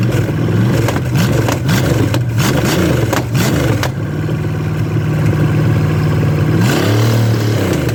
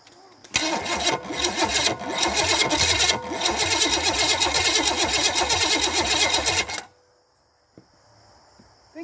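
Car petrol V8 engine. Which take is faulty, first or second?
second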